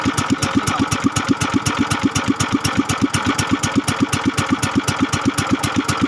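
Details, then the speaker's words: Kingstone 16 hp small engine, previously hard to start and would not idle, after reassembly with liquid gasket on the existing gasket: even, steady putt of about four beats a second, now idling cleanly. "y un mga kaib at napaandar natin nakita niyo naman magor ng ating motor ngayon"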